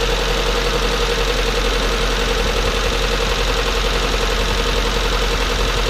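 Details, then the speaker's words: Nissan S13 200SX with a freshly rebuilt CA18DET turbo engine, first startup after several attempts: loud, busy idle with a loose, irregular knocking undertone that sounds a little incorrect, cause unclear. Abnormal running noise. "okay now we're actually gonna have to run it and see um the sound sounds a little bit incor"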